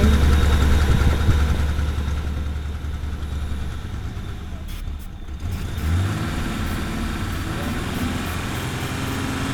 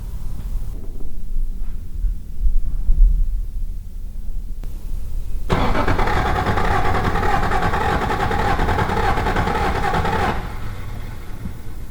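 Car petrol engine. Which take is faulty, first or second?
first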